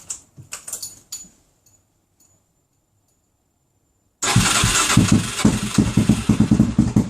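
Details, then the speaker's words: Suzuki DR-Z400SM started with fuel cap off during fault-finding: after a pause it fires and runs lumpy with uneven stumbling pulses around three a second, struggling at about quarter throttle; fuel starvation. "interesting you give it a bit big it's interesting on that sort of uh about quarter throttle it's not really enjoying it"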